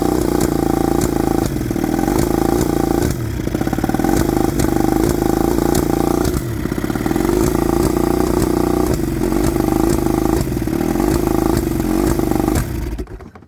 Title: Johnson 20 hp misfire 1995